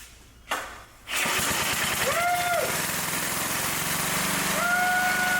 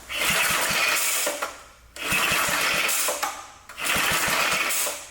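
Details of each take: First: Restored vintage Blue Grass walk-behind mower with rebuilt engine, freshly fuelled and oiled, first start with choke on fast: catches after brief crank, settles into steady even running beat with no misses, music over the top; normal starting and running. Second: Restored vintage Blue Grass mower, newly rebuilt engine with new throttle control, first start: three rope pulls spin it with quick chuffs but it never catches because the throttle was not set to fast.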